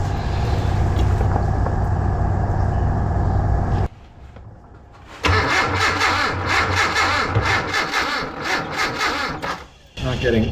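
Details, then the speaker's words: Abandoned Datsun 720 King Cab 4x4 that sat about 20 years, cranked after ignition work. Uneven, strained cranking with a harsh metallic grinding that stops and restarts without catching; smells like electrical fire. Starter suspected damaged, not confirmed. "oh no starter sounds awful that I already blow it up you hear that all right that went from working to sounding like uh metal grinding and it smells like electrical fire"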